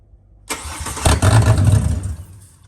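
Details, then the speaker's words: Ford Barra XR6 turbo engine (NA+T build) after fitting FG turbo intake manifold, fuel rail, coil packs and BA/BF turbo MAP sensor: catches, roars briefly and unevenly about a second, then dies; won't idle, owner suspects MAP sensor or fuel pressure. "Alright, we've got ignition, but it's not going to idle. We'll try it again. I'm suspecting that's going to be the map sensor, maybe, or the fuel pressure."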